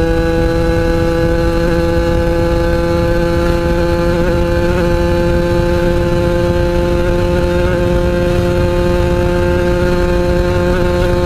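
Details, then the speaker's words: Yamaha RX-King two-stroke after fixing a loose wire at the coil and resoldering, previously stuttering at high rpm while riding: crisp steady high-rev buzz without stutter or misfire; now running cleanly. "Oke Guys berhasil Jadi itulah dia tadi Eh Setelah semuanya diperiksa semuanya dibenerin Alhamdulillah berhasil dengan baik"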